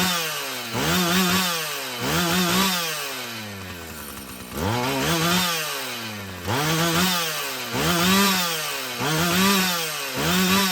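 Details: Husqvarna 445 chainsaw after cleaning and tune-up: revs up cleanly and drops back about every second, picking up crisply with no bog or stumble; it runs healthy, though the carburetor may need more adjusting as its diaphragm loosens.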